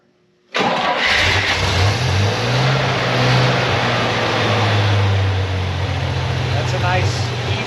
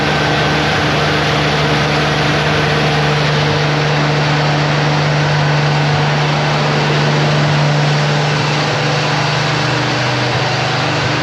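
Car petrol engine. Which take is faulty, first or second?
second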